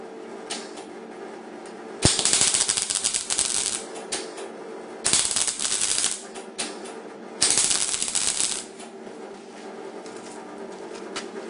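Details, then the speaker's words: MIG welding a flat panel on an HQ Holden restoration, argon shielding gas at about 8 litres per minute: three crisp, even frying-bacon sizzle bursts of one to two seconds each; a well-set arc, so the weld run can continue. "When you hear it sizzling, you know you can continue on the rest of it and finish it."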